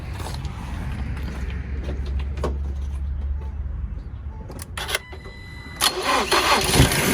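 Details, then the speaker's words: Salvage 2019 Ford Transit Connect being rebuilt: engine cranks and catches, then idle sags and stumbles with uneven bursts, won't run long; rough running attributed to vacuum lines still disconnected and other items needing reconnection. "so good news it starts bad news it's having its issues right here is one of them this and that and this out right here so there's other issues here and there doesn't let it run doesn't let it run for longer but it does have fire"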